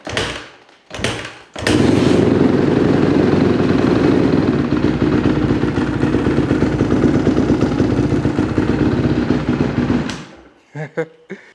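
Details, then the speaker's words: 2008 Honda CRF150RB dirt bike, reassembled after high-idle problem: fires after a few tries and settles into a steady, even idle with no surging high idle; normal. "sounded like it wasn't doing that high idle thing though which is sweet"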